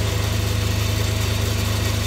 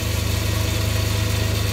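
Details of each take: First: Myford ML7 lathe during restoration, saddle and slides power-fed toward the chuck through the change gears, which have only old engine oil on them: a steady low hum with an even throb and no knocks or grinding. Running normally. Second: Myford ML7 lathe during restoration, with the change gears driving the leadscrew power feed of the saddle and cross slide: a steady motor hum with a fast gear rattle, noisier with no grease, only old engine oil lightly brushed on the gears.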